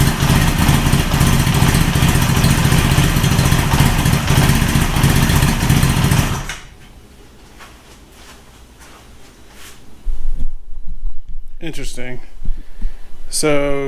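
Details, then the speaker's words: Honda CB900 Custom fitted with new Mikuni carburetors: uneven, hunting idle with a ragged beat for about six seconds before cutting out, seeming to run better with choke on. Rough running, cause not confirmed. "I mean it runs but it sounds like it runs a little better with choke on"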